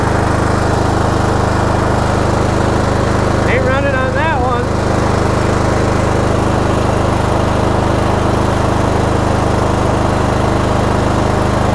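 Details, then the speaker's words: Cub Cadet GT2 LX42 22 hp twin-cylinder tractor with hard starting and surging: lumpy, uneven idle with dropped pulses, running on one cylinder; intermittent firing on one cylinder traced to a bad ignition coil pack. "oh cut out again that's running on one cylinder let's find out what cylinder it's running on because it is really running on one cylinder right now"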